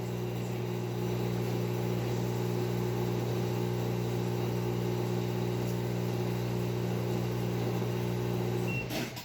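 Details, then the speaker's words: LG washing machine on a spin cycle: hums steadily through spin, then the drive cuts out near the end and winds down as the door-open (dE) error stops the cycle; lid switch reading open. "Y como pueden ver, ahí tenemos el error de... Esto es algo muy sencillo de reparar."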